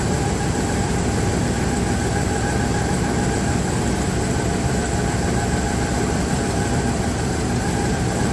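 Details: Dodge Ram 1500, believed to be a 3.6L V6, at idle with a misfire: lumpy rumble stumbling in a repeating beat as plug wires are pulled to find the cylinder; worn spark plugs suspected as the cause.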